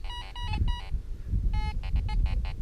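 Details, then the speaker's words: Fisher F22 metal detector, artifact program, iron volume turned back up: short clear beeps in quick bursts, the iron tone now as loud as a silver penny's; iron tone at full volume, working normally. "Now we've got the iron being as loud as the silver penny is."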